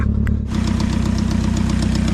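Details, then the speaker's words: Junkyard car with coolant leak, run on jump box, just fired up: loud, low idle with steady thumping pulse and occasional uneven beat; rough idle, owner suspects slight misfire. "Now she's running. I think it might have a little misfire though."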